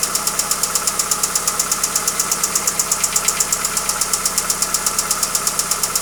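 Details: Hyundai Accent: sharp, even ticking at about 167 per minute rides over a steady idle; a clear engine knock, cause not pinned down.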